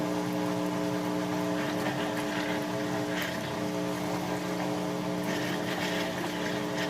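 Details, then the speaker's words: Kenmore washer on final spin cycle: even steady motor drone with water rush, no rattles or grinding; the drain pump is running normally to remove the last water. "again I can show you the pump is running as well that's what that noise is that way you can get the last little bit of water out"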